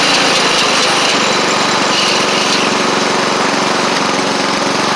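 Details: Sabre riding mower rolling along after repair (new drive belt, blades, head gasket), about 32°F outside: steady fast buzzing beat that holds even, no misses, knocks or squeals. Residual oil smoke from the old head gasket burning off. Normal running.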